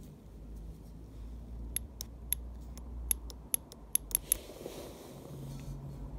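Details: DeLorean Bosch cold start valve 0280170400, tested on the bench after unclogging the solenoid with brake cleaner: sharp, crisp clicks in a loose run of about ten as the solenoid opens cleanly and sprays.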